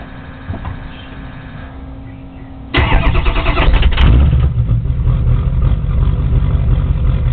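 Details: Ford 6.0 Powerstroke diesel, cold start after sitting about 10 hours at 75°F: long crank, then lumpy uneven clatter that misses and stumbles; rough start, owner suspects bad injectors or glow plugs.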